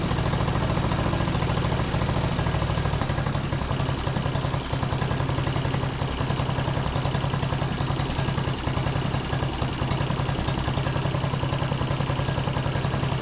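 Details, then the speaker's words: John Deere D110 riding mower, brake set, after carb spray into main jet: small engine idles rough with an uneven, stumbling beat; misfire possibly due to spark plug only hand-threaded in, plug pulled and gapped. "Might actually try to adjust the carburetor a little bit on this as well, but I want to go ahead and take a peek at the plug on here as well too, because I don't know what that plug looks like. Could be a little bit of our issue."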